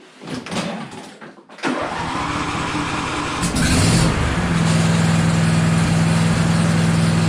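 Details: John Deere LA135 SE lawn tractor test run after summer maintenance: short crank, quick catch, a rev up, then a steady, even idle with no misfires or odd noises. Normal start and idle.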